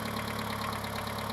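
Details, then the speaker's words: Mitsubishi 2.0 GDI 4G94 (Shogun Pinin) after EGR/intake cleaning: low, uneven, lumpy idle with light ticking; rough running and poor starting caused by lots of kerosene left in the intake, with noisy lifters. "The reason why I didn't start properly was a lot of kerosene in the intakes."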